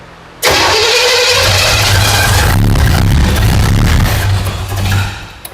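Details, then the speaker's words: 1977 Pontiac Firebird, overhauled Pontiac 350 small block after correcting the firing order, ignition timing retarded, suspected vacuum leak: catches after cranking, runs ragged for a few seconds, then sags and dies. "Adjust the timing a little bit. >> It sounds better. >> Yeah, way better."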